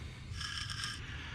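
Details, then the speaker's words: 2011 Chevy Cruze wheel hub turned by hand: gritty, dry crunching as the bearing is rough from rust and debris inside the dust cap; bearings were howling while driving. "That's rust and debris inside of that dust cap. That's freeze."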